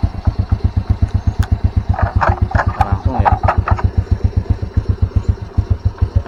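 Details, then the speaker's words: Motorcycle, single-cylinder, after new aftermarket starter: starts immediately, even idle thump about four beats a second with light clicks; runs cleanly. "Kita kunci kontakan, dia starter. Nah, langsung kan."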